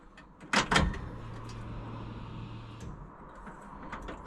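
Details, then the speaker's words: Barn-stored car being rebuilt with a V8 swap, key on without starting after the rear fuel line was tightened: after a door clunk, a faint low steady hum for about two seconds, the pump priming the lines; normal, though a leak remained. "maybe I'll do it one more time all right so I can hear that the pump is pressurized lines are full"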